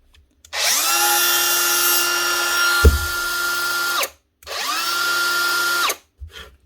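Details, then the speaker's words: DeWalt DCW600 18V cordless trimmer (router); small high-speed motor whines up twice with a coarse, gritty edge from a failed bearing, still works, warms quickly. "Yeah, that is stuff. There's a bearing gone there. Yeah, definitely. But it still works."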